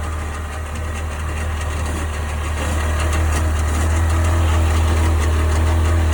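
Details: 1998 Sea-Doo GS 720 personal watercraft at idle: steady low drone with a regular pulse about four times a second under the exhaust note; owner asking what the strange noise is, cause unknown.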